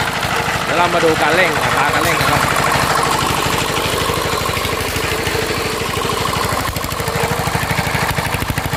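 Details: Mitsubishi NM85 diesel about 40 years old, rebuilt from scrap, test run before delivery: steady thump about three beats a second with dry rattling rumble from the fan bearing; non-original spring, injector and air problems also noted.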